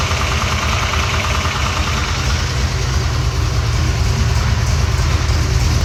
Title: Exhaust leak popped up